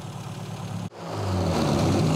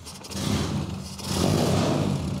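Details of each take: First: Mini A-series engine on a rat rod, twin carburetor mixture being enriched in flats during tune-up: lumpy idle, then revs cleanly and smoothly without stumbling; sounds much better, airflow changed, mixture closer to right. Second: A-series Mini engine with no muffler, freshly started in neutral during tune-up: stumbles along with slow, uneven low beat and surging loudness, barely running; idle set far too low, both carburetor idle screws turned up, still not enough, running rich.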